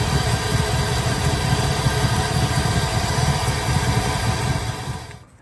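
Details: 1972 Impala with an LS3 swap, after tightening loose torque converter bolts (two of three were loose): the V8 settles into a steady, deep, even idle with no rattle from the bellhousing.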